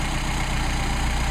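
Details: Mercedes 190SL Solex carburetors on test after idle mixture screws were adjusted for best running; even, steady low rumble at idle with no hunting, misses or stumbling; idles smoothly.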